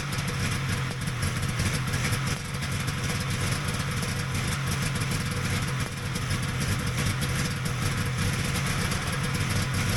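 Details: Vintage Polaris XLT triple snowmobile after the pump plate was correctly reassembled: steady, even two-stroke burble with no hunting or dropouts; the engine idles cleanly and sounds healthy.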